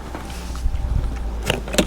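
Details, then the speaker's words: Battery-operated fuel transfer pump filling a diesel heater's tank from a one-gallon container: a steady low electric hum with a couple of light clicks, running normally. "you just put that part of in there this in your tank turn it on and it starts pumping the fuel"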